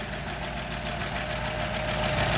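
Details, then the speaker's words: 1936 Buick Century 320ci straight-eight idling after exhaust manifold leak repair: an even, quiet idle with a soft steady rumble and light valve ticking; no exhaust puffing, quieter than it's ever been. "And it is quiet, quieter than it's ever been. So I must have done something right."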